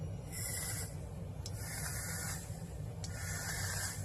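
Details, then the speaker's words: Triple 18650 series semi-unregulated PWM vape mod firing: three short bursts of thin high electronic whine; normal pulse-width modulation noise, not a fault. "Hear it? It's like a high-pitched whine, and like I say, it's just the pulse width modulation doing its thing."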